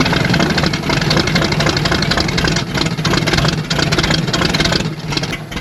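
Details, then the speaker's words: Chevy Bel Air sitting since about 1981, first start with ignition timing possibly off and no cooling system fitted: rough, loping, tractor-like idle that runs a bit uneven, but no knocking from the bottom end. "It's not knocking. That's good signs."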